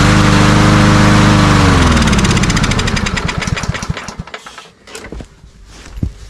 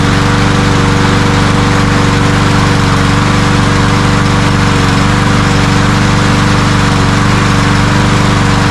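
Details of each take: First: Cub Cadet self-propelled walk-behind mower with primer bulb, before carburetor cleaning: starts, runs briefly, then slows and stalls within seconds as the prime burns off; fuel starvation suspected; oil on air filter. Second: Cub Cadet self-propelled walk-behind mower that started then died from fuel starvation, after ultrasonic carburetor cleaning: small single-cylinder engine holds a steady, even idle with a constant buzz, no surging or dying; fixed.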